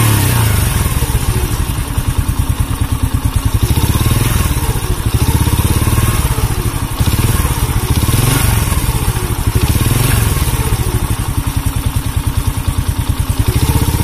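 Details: Honda C100 single-cylinder with rough engine and sluggish pickup, revving: coarse clattery thumping rising with throttle; mechanic suspects worn piston, cam chain and clutch also inspected; not confirmed.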